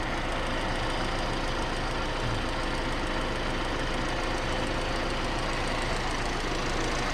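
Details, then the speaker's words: Petrol engine idling with busy mechanical clatter and no belt squeal after the alternator, its bearings and the tensioner roller were replaced and an old home remedy was applied to the belt; it restarted without whistling. "еще раз попробовать запустилось и не свистнул все отлично"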